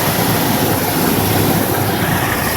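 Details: 1997 Suburban with a 383 stroker running after a jump start from a Uniden power pack on a long-dead battery (first attempt failed on a bad connection); steady, even drone with no knocks or misses; normal running.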